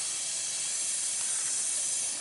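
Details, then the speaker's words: Heavy duty Volvo truck air brake system, engine off: constant sharp hiss of air escaping from a fitting found with leak spray; failed internal O-ring, whole fitting needs replacing. "sprayed it with some stuff and there was huh there she blows aren't you glad i got good hearing i might have to get a new fitting here"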